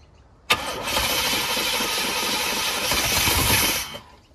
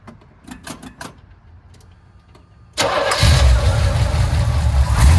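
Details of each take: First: 1989 GMC Sierra C1500, 350 small-block V8, auction truck fed fuel by hand: fires and revs roughly for about three seconds, then dies as poured fuel runs out; no fuel supply. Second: 1989 GMC Sierra with a junkyard small-block 350 V8 of at least 150,000 miles: the starter turns briefly, then it settles into a deep, even rumble with clean throttle blips; runs well, though the owner says about half the power.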